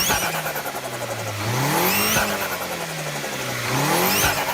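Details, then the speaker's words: Turbocharged engine revving and lifting off: each lift-off brings a quick rising hiss-whistle as the blow-off valve on the compressed-air side opens past its pressure limit and vents boost outside; normal operation. "si esa presión es se excede el límite, esta válvula se abre y libera esa presión al exterior, o sea, afuera. Y ahí es donde se escucha el ruidito del silbido."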